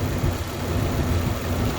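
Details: 1994 Dodge Dakota just started, idling evenly and smoothly with no stumbles or skipped beats; at other times it starts with a rough, missing idle and overheats idling with AC on.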